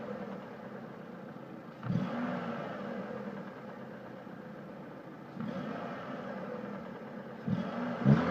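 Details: Mitsubishi Lancer IX: intermittent engine knock heard as revs drop when the throttle is released, faint clatter that comes and goes; not heard while driving, and depends on the car's slope, absent in some positions.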